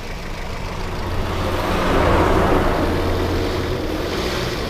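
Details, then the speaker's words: Daihatsu Terios, unused for a week, cold start then warming: low lumpy idle pulsing about four beats a second, smoothing slightly once warm; engine shakes abnormally, valves suspected, not confirmed. "Tadi sih emang agak lebih kasar. Ya, rek gitu. Nah, ini agak mending, sudah panas."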